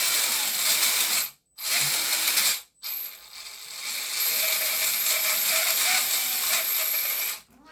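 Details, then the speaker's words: Redcat Gen 7 Unimog RC truck with portal axles: small electric drivetrain whirs in short bursts with a rough, ratcheting grind and thin high whine from worn motor bushings and bearings and worn transmission bearings; due for rebuild. "you can kind of hear the bearings and the bushings and the mudder are not happy um some of the bearings in the transmission are also I'm not really happy so it is kind of due for a rebuild"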